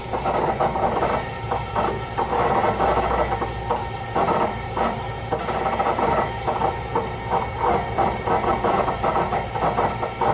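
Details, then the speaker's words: VW Fox VHT 1.0, recorded inside the car with the seat lifted over the fuel pump: whining hum that surges and drops in uneven pulses, as if failing to pressurize. Pump strain. "Então, como vocês podem ouvir, pessoal, é como se a bomba de combustível estivesse falhando na hora de pressurizar, tá vendo?"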